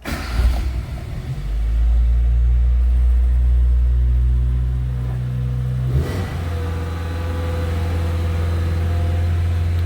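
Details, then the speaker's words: Restored Suzuki Sierra/Samurai (Indian Maruti-built) small-engine 4x4, cold start with choke out, heard from the rear after exhaust work: cranks and catches at once, settles into steady, even low idle, lovely and quiet, no knocks or misses; shakes a bit when cold. "Let's see how quiet we are around the back. Lovely and quiet. Of course when it's cold it's going to shake around a bit."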